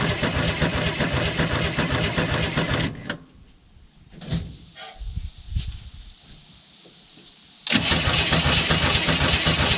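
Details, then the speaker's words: 1967 Chevy II Nova, sat 30 years, battery weak, leaking from the bottom and at the throttle shaft: steady cranking at about 2.5 turns a second, pauses, cranks again, never catches; crank no start, vacuum leak suspected. "oh what a bummer huge bummer this is maybe got a vacuum leak too that could be an issue"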